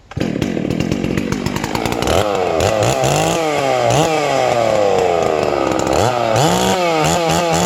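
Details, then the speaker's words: New Hypo 660 chainsaw build with port work and an added triple-port muffler: sharp, quick revs rising and dropping cleanly over a crisp two-stroke buzz, snappy for a big saw; normal running. "it's real snappy for uh with the port work and everything it's real snappy for a big saw sounds good"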